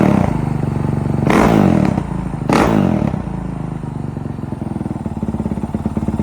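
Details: Honda 450L single after exhaust upgrade, JD Jetting tuner and open-top airbox mod: fires straight up with a couple of sharp blips, then an even thumping idle with no stumble or misfire; healthy start.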